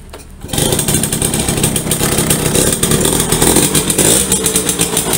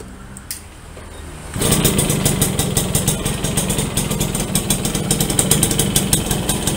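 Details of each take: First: Yamaha V75 two-stroke, weak and struggling uphill, rough when hot: revving with a harsh uneven rasp and rattle over the exhaust note; mechanic suspects loose worn piston needing oversize, and an aged connecting rod. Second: Yamaha V75 two-stroke after bore-up to 72cc and clutch repair, previously weak and rough: fires up and holds a fairly even, crisp idle with a quick steady beat, smoother than before, no roughness or rattles.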